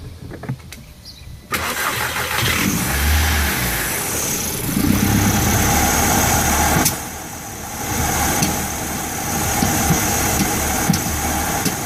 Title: Vw 1.8t rough idle, sputtering, help plz